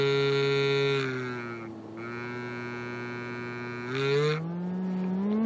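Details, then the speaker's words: Speaker from a late-1940s RCA 8R71 AM/FM radio driven by a function generator sine wave: harsh, buzzy resonance around 150 Hz that clears above it; loose glue, debris or tears in the surround are suspected. "unfortunately we discovered that at certain frequencies it kind of loses it or it's like resonant frequencies where it doesn't work so well around 150 Hertz it resonates really badly"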